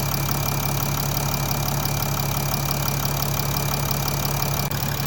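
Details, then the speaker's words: 2014 Mercedes ML350 BlueTEC (W166) OM642 diesel, 100,000 km, start after oil cooler seal repair with EGR reconnected. Engine still fairly cold: even clatter with a faint steady whine, throttle actuator working. Normal idle, everything in order. "You can hear the throttle actuator working away and everything seems to be in order."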